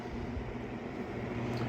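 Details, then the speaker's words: Williams Forsaire wall furnace blower running normally with the furnace heating: steady, even rush of air with a low hum and no surging or scraping; the blower is spinning fast at full speed. "you see this Fan's blown real fast"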